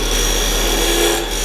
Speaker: You hear that? It's just too much material. It's trying to take off at once.